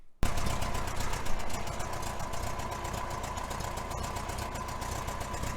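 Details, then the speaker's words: 1966 VW Fastback air-cooled engine at idle: quick, sharp ticking in time with the firing over a low rumble, an exhaust leak suspected where the heater box meets the head. "I think my exhaust leak is back here for the heater box goes to the head"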